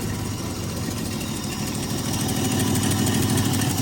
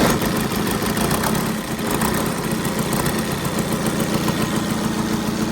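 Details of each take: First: Jaguar six started: lumpy, uneven idle stumbling about three times a second, running on five cylinders because a loose spark plug lead is not making contact; exhaust also sounds like it is blowing. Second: Engine on the new dyno, started with the dyno's starter motor via a crocodile clip on the 12 V solenoid: the diesel settles into a steady, even clatter at idle with no misses or heavy knocks, running healthy with no load.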